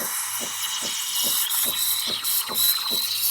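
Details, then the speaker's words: Breville Barista Pro steam wand, tip barely kissing whole milk in a 12 oz pitcher while aerating: loud steady hiss broken by sharp paper-tearing chirps about twice a second; incorporating a little too much air. "hear that sort of paper tearing sound? I'm low-key incorporating a little too much air because it's like going crazy, but I think it'll be fine."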